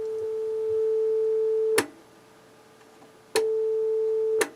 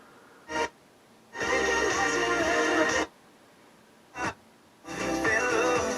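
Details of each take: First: 1978 Technics SA-500 receiver with a 440 Hz test tone: the right channel drops out and returns with each click of the switch. A faulty, dirty switch is causing the intermittent channel. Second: Technics SA-500 receiver from 1978 in for a full service, bench-tested warming up before power test: strongest FM station comes in clean with silent gaps between stations, tuner receiving properly; dial alignment slightly off by about a megahertz.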